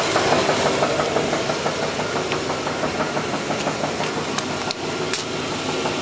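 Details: Engine idling, heard from underneath the car with the accessory belt off: a sharp, regular, deep metallic knock about three per second from the bottom end; definitely a rod knock, rod bearing.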